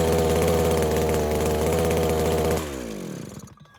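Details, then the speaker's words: New Henghai 2.5 HP air-cooled Chinese outboard, first start out of water: small two-stroke buzzes steadily, then speed drops and it winds down to silence as choke is fully opened; owner suspects not warmed up enough. "She shuts right off when I go to full open choke. Okay, maybe she just wasn't warmed up enough yet."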